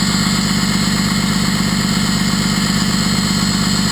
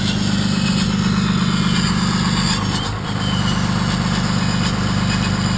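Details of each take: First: First-gen truck with 6.2 liter 24-valve VE-injected Cummins; exhaust brake engaged, switch with unsoldered wires had been pulsing it on and off; loud steady roaring drone with throaty pulse and jet-like rush, exhaust brake working normally. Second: 6.2 L Cummins, first-gen 24-valve with VE injection pump: deep diesel idle dipping and surging every few seconds as the exhaust brake cuts in and out; intermittent exhaust brake from an unsoldered switch's wires vibrating loose.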